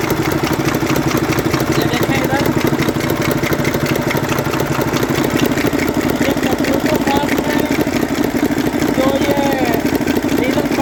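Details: 2009 Mercedes Actros six-cylinder diesel at idle, loud, with a sharp crackling knock at about 90 a minute. Misfire on cylinder three caused by a seized valve rocker roller.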